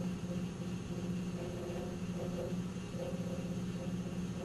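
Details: 1997 Nissan Maxima idling with a low, wavering droning resonance that swells and fades irregularly; goes away with a little throttle and returns; source unknown.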